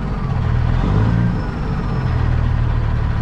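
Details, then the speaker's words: Peterbilt 379 semi truck diesel with power loss, at idle: low, weak-sounding idle with an uneven beat and a brief sag, a hiccup on the low end; injectors suspected of not firing well, possibly the cam. "well as you can hear see pretty guard darn weak sounding I don't know if you can hear that sounds like the injectors are not firing all that good could be a cam too"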